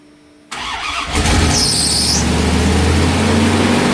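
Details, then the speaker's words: 1993 Dodge Ram D150, Magnum 5.9 360 V8: catches after short crank and races at high idle because the damaged pipe behind the EGR leaves a large hole drawing air; vacuum leak, later capped by inverting the EGR. "Y pues está super revolucionada porque tiene ese hoyo demasiado grande en la parte de atrás y está jalando mucho aire"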